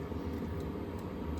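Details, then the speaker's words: Hcalary diesel heater, combustion exhaust outlet outside: steady low rush of air with no pulsing or popping, just air shooting out, not engine-like percussion; normal exhaust flow, no muffler needed. "On the output, which I have a through hole thingamabob, but on the outside, it just sounds like this. It just sounds like whoosh. It's just air shooting out."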